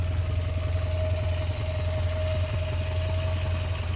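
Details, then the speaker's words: 1979 Subaru GL wagon, driven after sitting about a year, just barely up to temperature after running; quiet, even low purr like a sewing machine with faint steady hum, no ticking or misfires, normal warm idle. "she is just barely up to Temp now this car is so wonderful listen how quiet she is sounds like a sewing machine"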